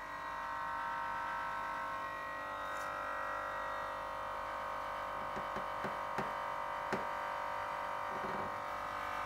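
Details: Fridge running with compressor on: steady metallic buzz over the running hum, swelling into a louder rattle; noise comes from around the back, not inside, and the compressor is fine.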